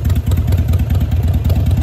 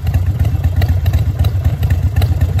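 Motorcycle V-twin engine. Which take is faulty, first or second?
first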